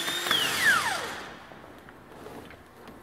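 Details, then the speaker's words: New rebuilt starter for a MaxxForce DT diesel on the bench, compared with a worn 10-year-old MaxxForce 7 starter that drags and growls: a clean high whine that coasts down smoothly with no scraping; normal starter spin. "there's a huge difference bushings are new and everything this one's probably dragging the motor and it's just ten years it's paid for itself and it's a quite a difference in the action and the sound"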